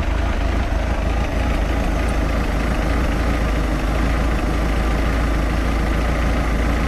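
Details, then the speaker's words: 3.0 liter MerCruiser 140 boat engine with new Sierra carburetor, mixture screw being adjusted: low, loping idle with uneven chugging starting to even out; not plug and play, needs fine-tuning. "so you do have to do some adjustments to it it's not just plug and play so we have to fine-tune it a little"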